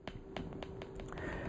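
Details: PEMF-100 high-intensity PEMF therapy coil set high at low frequency: sharp dry clicks about three or four a second in a quiet room; normal coil pulsing.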